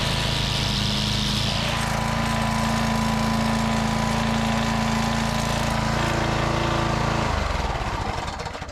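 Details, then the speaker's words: Walk-behind brush trimmer mower whose front cutter would not engage, now after repair: belt replaced, bent lever fixed, sticky belt tensioner swivel cleaned and washer flipped. With the cutter engaged it holds a steady drone with no slipping squeal, then shuts down cleanly. Normal running. "Alright, that seems to solve the problem. So a combination of the little lever that got bent back a little bit, and also the belt tensioner, the swivel, it did not move smoothly"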